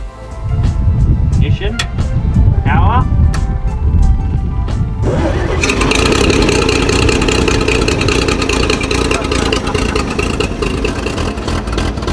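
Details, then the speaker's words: 1944 Chevy Blitz WW2 army truck, restarted after its first start in 30 years and a radiator fill, left running a while: after some clatter up front it settles into a steady, even idle with no misfires. It is running better as it clears out. "we're just cleaning out the cobwebs i've been here is running a lot better now"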